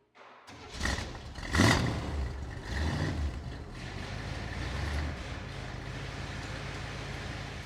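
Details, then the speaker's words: 1963 Chevrolet Corvette 327 small-block V8, cold start after sitting a couple of days: catches almost instantly, a couple of brief flares, then settles into a steady, even low rumble; healthy start and smooth idle. "Hey, everything looks pretty good to me. Quiet, smooth operation, nice idle. You heard it start up instantly."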